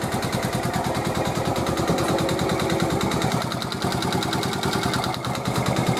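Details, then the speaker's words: 1986 Honda TRX70 single after a top-end rebuild: it idles with a sharp metallic clatter, about three knocks a second; the owner first suspected the valves, but teardown showed it was not the valves; a piston-to-cylinder knock. "That Knocking was not the valves it's been probably 3 weeks since I just said those words I ended up taking it all apart"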